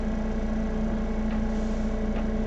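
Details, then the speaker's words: Medical grade air compressor cycling after pressure drained to start pressure, following a purge: steady even motor hum with constant mid tone, no knocks or rattles; running normally, cycling flawlessly. "so wow it's cycling flawlessly guys"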